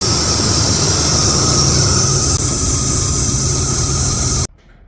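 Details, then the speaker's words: 2007 Nissan Titan with 5.6L V8 idling: steady high-pitched squealing whine over the rumble from a worn serpentine belt tensioner pulley bearing, before replacing the tensioner. "in case you're wondering what that noise was, it's the tensioner pulley."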